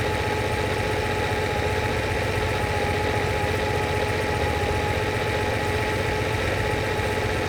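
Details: Lamborghini 350 GT V12, chassis 109, restored, warming through after carburettor balancing and mixture adjustment, water temperature about 83 °C: smooth, even idle with steady low hum and faint mid tone, no knocks or misses; running cleanly.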